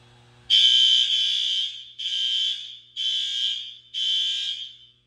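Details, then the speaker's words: Newly installed fire alarm horns in a middle school crawlspace during alarm testing. Four long, shrill blasts about a second apart, all starting and stopping together, so the horns are properly synchronised. "Synchronization sounds good."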